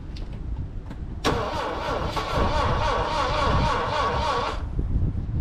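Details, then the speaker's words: Saab Sonett III, unused since 2012, timing roughly set, plug gaps reduced for suspected weak ignition: starter cranks evenly at about four beats a second for roughly three seconds, never catching; crank no start. "like come on far n just enough gas come on come on she just not going to go"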